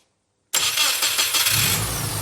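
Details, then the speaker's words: EJ20-engined Subaru Brumby (BRAT) ute, restoration first start after fuel-system flush with fresh 98 petrol and new fuel lines: after brief silence engine catches at once, gets a little rev, settles into steady busy idle; normal start. "ej20 powered Brumby listen to it give it a little rev date that's unreal so good"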